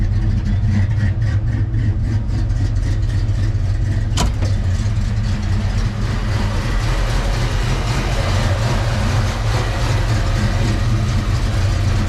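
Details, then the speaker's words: Foxbody Mustang V8 that bogs and hesitates, after replacing belts, hoses and other parts, left idling to relearn. Deep idle with a slightly uneven, loping pulse that never settles smooth; rough idle, cause unknown. "Still sound like it's running like but we're just going to let it idle and relearn everything and see what happens."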